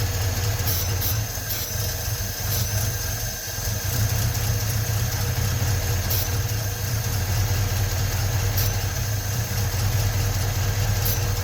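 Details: 1956 Ford truck, 45,000 original miles, first run after sitting 40+ years with new rebuilt starter: steady, even low rumble at idle, no knocking or banging; normal idle, battery light on suggesting no charging.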